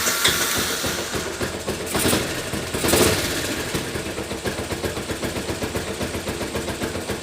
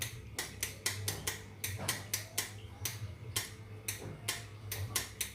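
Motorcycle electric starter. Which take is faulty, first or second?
second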